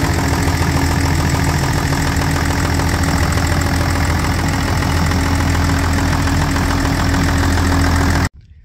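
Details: John Deere 544D loader diesel idling after an oil change with 5 gallons of oil including filters: steady even diesel clatter, unchanging for eight seconds before shutdown, no leaks; normal idle.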